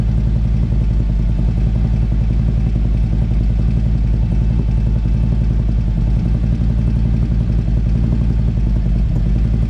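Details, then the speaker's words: Harley-Davidson CVO bagger V-twin at idle: loud low rumble with a fast, even clatter, same noise heard while riding; electronic stethoscope around engine rules out exhaust, ticking cause unknown. "I went all around the engine. I hear nothing from nothing, the same noise that I'm hearing as I'm riding."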